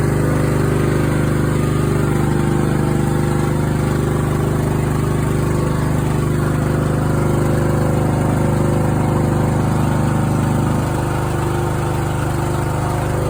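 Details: Craftsman riding mower that fired but wouldn't run, after new fuel shutoff solenoid, fuel filter, spark plug and fuel treatment (suspected water in fuel): even steady single-cylinder putter at constant speed, no surging or sputter; normal running.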